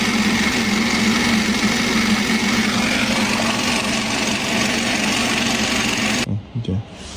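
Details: BMW B48 engine idling with a harsh, steady whirring rattle and a faint beat about four times a second. Cause: intermediate gear of the crankshaft-driven balance shaft (mass compensator), part 11 27 8 570 744.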